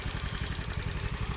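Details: Honda Beat FI scooter that sputtered and died, suspected weak fuel pump; with the pump unplugged and fuel fed under air pressure from a hand pump, it idles with a quick, even put-put at a steady low speed, no misses or surging.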